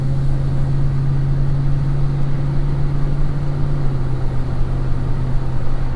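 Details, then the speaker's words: Lowered GMC Sierra after 4.3 to 5.3 V8 swap, first drive with headers, misfire code still set: deep steady V8 drone under light load, smooth and even with no knocks or stumbles, running well. "golly it's running good"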